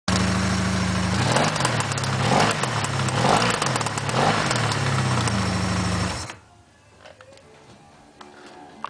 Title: V65 Magna Bad engine noise